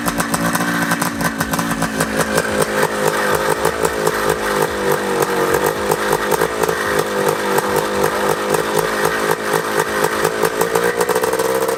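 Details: 1979 Honda Odyssey FL250 two-stroke after full rebuild with newly machined cylinder and DG expansion pipe, running on choke: crisp, rapid popping, firing evenly and revving freely without stumbling; freshly rebuilt engine running strong.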